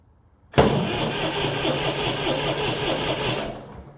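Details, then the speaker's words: Massey Ferguson 135 tractor from a bought lot, oil checked: the starter spins the engine at a steady even rate for about three seconds with no firing, then stops. It cranks but will not start; the owner next bleeds air from the fuel lines. "Negative. That is the right way, so that's not it."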